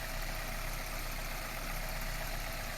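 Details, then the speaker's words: Drivetrain running in gear after tightening the loose transmission flange bolts on the right half-shaft, where the flange had separated from the gearbox case; no engagement shock, steady even hum, and the earlier rattling from the chassis is gone, driveline healthy. "车辆在挂档的一瞬间，车身一点冲击的感觉都没有，而且车轮在转动起来的时候，底盘之前的哗啦哗啦异响声也已经消"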